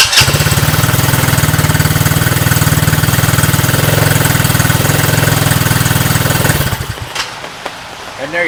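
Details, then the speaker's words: Coleman Scrambler 125cc Chinese ATV, previously a no-start (had spark, fired on starting fluid), after new carburetor, new battery and fresh gas, fires right up and holds a smooth, steady, even putter before shutting off; runs fine. "starts up and runs fine so there you have it hopefully this helps you guys"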